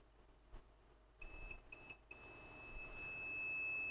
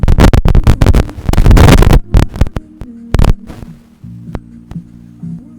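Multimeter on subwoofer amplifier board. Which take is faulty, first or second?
first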